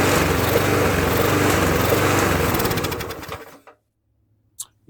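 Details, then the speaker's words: Murray mower with Briggs engine after refilling the carb bowl: chugs unevenly about three seconds then fades and dies; owner suspects loose intake, but intake looked okay, cause unconfirmed. "Could be the intake. Let's take a look. Maybe the intake loose."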